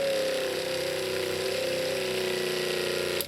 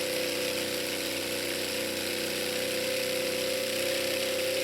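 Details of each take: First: Off-grid tiny house water pump (7 A rated, 10 A fuse) drawing rain water from a tank of about 5 gallons. Steady high buzz with a slightly unsettled tone, then stops. Lines now clear of air, but some air remains in the filter. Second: Off-grid tiny house water pump (rated 7 A, 10 A fuse) with steady, even buzzing hum and no surging or rattles while pressurizing the cold water lines, then it shuts off; pump and accumulator work normally.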